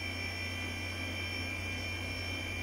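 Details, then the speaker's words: HP 712/60 UNIX workstation running: a constant high-pitched whine over a steady low hum, no seek clicks, from its noisy hard drive. The owner judges it will not last long; worn bearings are suspected. "this hard drive will not last long"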